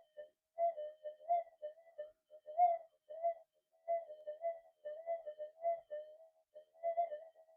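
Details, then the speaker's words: Minelab SD/GP/GPX metal detector with an 11-inch DD coil, running flat out in cancel mode: warbling, uneven mid-pitch threshold tones instead of a steady hum. The noise comes from a poor, non-symmetrical coil. "I'm getting it about there, cancel mode, but a lot of noise still coming in because they're not the best coil."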